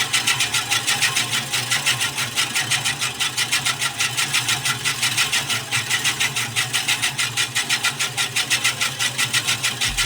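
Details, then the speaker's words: Scotts Classic 20-inch 5-blade reel mower with electric conversion backlapping in reverse with 100-120 grit compound: hissy, even rasping grinding pulses that start crunchy then smooth out. "Now, as you're spinning this, you're going to hear it grinding and then the sound is going to kind of smooth out. It'll start out kind of having a"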